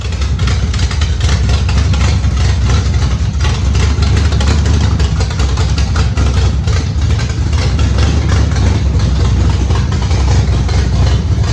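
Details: Factory Stock race car V8 after warm-up with the correct weighted flywheel fitted: deep, steady rumble at warm idle, even firing with no knocks, misses or hunting.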